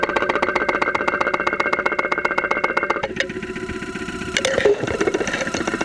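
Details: 2001 Saturn SL2 run with very low oil and unused for two months, heard through a stethoscope microphone at idle with 35-40 psi oil pressure: crisp ticking about four per second, then the tone shifts. Oil-starvation damage suspected, not confirmed.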